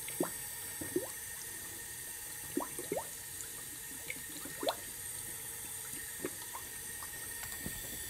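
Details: 2004 Honda Civic with check engine light and cylinder 3 misfire, engine off, air fed into the cylinder with the crank turned to top dead center: scattered bubbling and gurgling pops in the coolant. Leaking head gasket, repair confirmed the fix.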